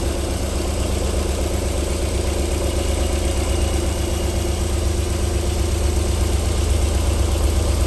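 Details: 1994 Alfa Romeo 3.0 24v QV V6, cold start-up idle with a steady, even low thrum and no tapping or knocking; a normal idle, though knocking returns after about 4 minutes.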